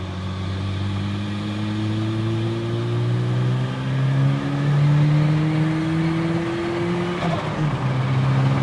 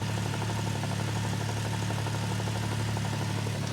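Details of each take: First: Turbo Toyota pickup after repairs from drag strip damage (cracked manifold, failed spark plug), on a 9 psi tune: it pulls smoothly under load and makes proper boost, transmission sounds better, no breaking up, so the spark plug issue is resolved. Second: Turbo Toyota pickup after drag-strip damage, also with a big turbo manifold exhaust leak: rhythmic knocking over the engine drone from manual transmission bearings failing, worst in first through third, fourth almost silent.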